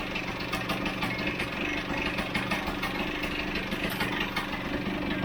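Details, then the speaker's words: Vespa GS150 two-stroke warming up after a kick start, cowling off, before carburettor tuning: crackles along with a quick, busy tick-over that is sitting too high. The idle needs turning down. "right the camera's actually in my way at the moment so i'm going to take off this cowl in uh sorry the air box again because it's too it's ticking over too quick"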